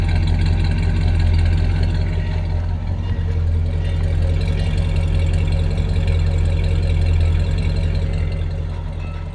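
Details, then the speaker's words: 1966 Ford Galaxie 500 V8 on its first start in 44 years, with slight roughness around 1200–1500 rpm, arcing points and a brake booster vacuum leak: a steady, even low rumble with no knocks or misses. Normal idle. "first start in 44 years and it runs really good it has a little bit of our roughness just around 12 1500"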